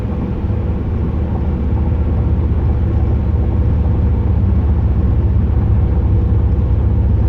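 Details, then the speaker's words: 2008 Pontiac Grand Prix GXP driving after a Thrush welded muffler install, with Active Fuel Management (DOD) not active: a deep, steady, bassy V8 rumble with an even beat from all cylinders. Normal exhaust note. "but other than that when the car is not dod it sounds"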